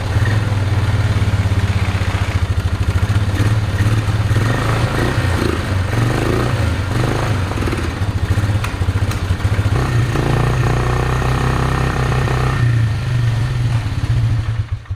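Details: Polaris Magnum 325 single-cylinder ATV after carb soak, running warm and thumping unevenly with stumbles and odd pops; lean misfire and fuel starvation from unfiltered air drawn past the open airbox, not the carb or fuel pump.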